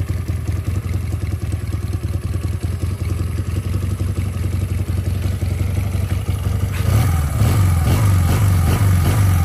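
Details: Japanese-made Honda CD 125 Twin, 125cc two-cylinder four-stroke with 4-speed gearbox and original engine, running on a weak 6V battery: a low, even putter with a steady beat around three a second, lifting slightly near the end; normal idle.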